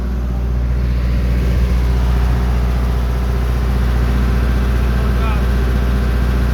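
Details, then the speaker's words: 1999 Onan 40 kW generator with a 4-cylinder Cummins diesel, after voltage regulator board replacement, under a 20 kW resistive load (about 90 A at 240 V): deep, steady drone, even beat, no misses or knocks. Running normally. "the current went up to almost 90 amps which you can do the math that's about 20 kW at 240 volts so I know it's running it's working"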